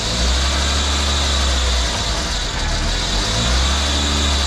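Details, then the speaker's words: PT Cruiser GT 2.4 turbo on jack stands after replacing a CV axle with stripped splines that caused grinding, motor mounts shot: steady smooth drone with wheels spinning in second gear, no grinding or clunking; normal drivetrain in gear. "Beautiful. Third, fourth, yep. That's good. We got all the gears, we're good."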